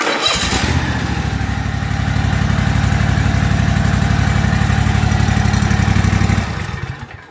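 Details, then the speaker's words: Toro zero-turn mower that ran only on choke, after repair, cranked to let fuel pump fill carburetor bowl: catches right away, even steady pulse about four beats a second, no stumbling, then clean shutdown; healthy engine. "so you'll just crank it over a little bit and then you know she will fire up now this one i went ahead and cranked it over just so you know and here we go"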